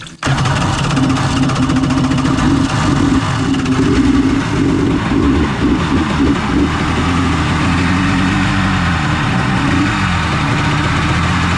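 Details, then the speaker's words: 1994 Kawasaki 750SX two-stroke jet ski, about 30 years old, revived after years unused: throttle feathered for extra fuel, catches and settles into a busy, uneven burble. Cooling water on, flushing brown water, heavy smoke from the oil/gas mix. "the good news is it started um I have to say I am tickled pink if that was a thing"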